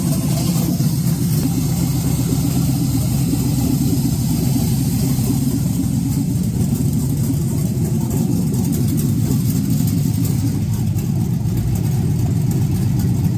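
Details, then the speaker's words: 1986 Chevy Caprice box body with swapped 5.3 V8, 4L60E and aftermarket cam, first fire-up on a 60 tune, power steering lines unhooked: deep, loud, choppy uneven loping idle with heavy exhaust rumble; normal cammed idle. "She's fired up. We We'll throw make it sound like got a little more chop, but that's okay."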